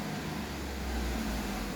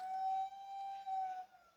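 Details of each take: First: Fiat Argo idling after cleaning and reassembling the engine oil vapour breather, fixing a whistling, train-horn-like noise attributed to a torn diaphragm: steady, even idle with low hum, no whistle or honking. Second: Fiat Argo Firefly engine shutting down after a rev: clear steady siren- or train-horn-like whistle for about a second and a half, then fading. Torn PCV diaphragm whistle; diaphragm to be replaced.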